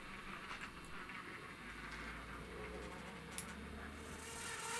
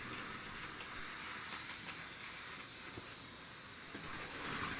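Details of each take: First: 2012 Hornby Class 60 model locomotive 6042 on track before fix: steady buzzy whine over track noise, not too bad at slow speed. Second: 2012 EWS Hornby Class 60 model locomotive after its bogie was refitted: only a soft, even hiss and faint track clicks as it speeds up, in both directions, with no grinding; the running noise is gone.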